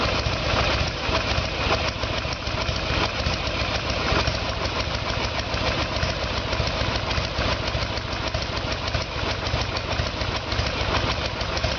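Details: 1994 Harley Sportster Evolution with a 1996 engine, carburetor found to be the problem; idle while ignition timing is checked with the two dots centred in the timing window. Even, steady low V-twin idle with a consistent beat and no misses or knocks; running healthy.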